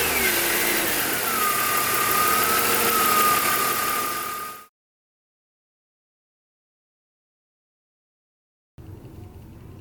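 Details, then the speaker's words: BMW M54 engine running: a steady high whistling whine around 1.2 kHz from the front of the engine, then the engine cuts off; the whine was located with a long screwdriver. "This is a BMW engine M54, and as you could hear before, there's a noise like a whistling, whining noise, which is coming from the front."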